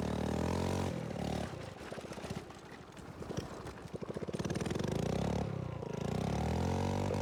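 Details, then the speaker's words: Tecumseh OHH50 single-cylinder rebuilt for an original Manco American Express go-kart, fresh fuel pump setup, cold icy day: revs then stumbles into slow loose chuffs on throttle from the line before picking up; owner suspects it needs a bigger main jet, fuel-starved bog. "I think as it sits right now, it might need more main jet, which is all, you know, it's all in the tuning really because it kind of it runs good, but it's kind of got a bog off the whenever you off the line, whenever you give it the gas."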